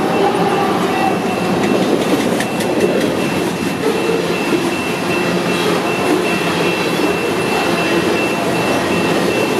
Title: Westbound coal sounding normal, grain train making strange howling sound